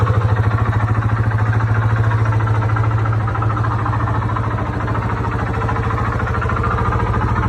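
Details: 2002 Yamaha Warrior 350 ATV at idle: deep steady thump with dull knock each beat, seeming from the lower engine; rides well; cause unknown.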